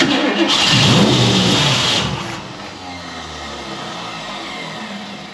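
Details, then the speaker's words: 1969 Ford Mustang Fastback, first start in 30 years, Mallory ignition, fuel poured into carburetor: loud roar about two seconds then fades without holding idle; starts then stalls. "I wish I could get it to idle longer, but that's fine."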